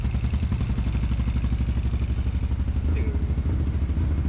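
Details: 650cc buggy, first start on jump box, old fuel topped up, on choke and cold: catches and settles into steady, even low idle thump, no knocks or misses; running healthy.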